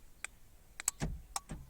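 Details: Renault Laguna central locking after fitting an aftermarket universal remote control kit, operated by remote: several quick sharp clicks and short motor buzzes as locks throw; actuators working properly; normal central locking operation.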